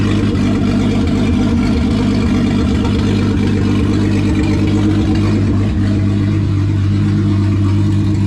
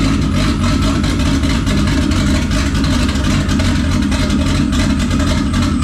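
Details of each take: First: VW VR6 turbo engine with methanol injection and intercooler at final assembly after rebuild; open throttle body tied together to get it to idle right: deep, even hum settling steadily at low revs without hunting or stumbling; smooth idle. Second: VR6 with methanol injection, first start after rebuild, oil, water and power steering primed: loud uneven idle with lumpy surges and unsteady revs; owner suspects a turbo tune without the turbo hookup and vacuum leaks.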